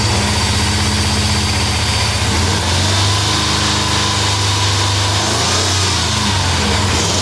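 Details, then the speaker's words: Chevrolet Suburban with no compression on cylinder 4 (oily plug) idles rough with an uneven, lopsided lope and some smoke after a Seafoam treatment, MAF sensor unplugged; spark confirmed good; owner says it seems to be clearing up a little. Misfire from low-compression cylinder. "I know they they'll run a little rough on that cuz it's not getting the right air fuel mixture but I don't know sounds like it's clearing up a little"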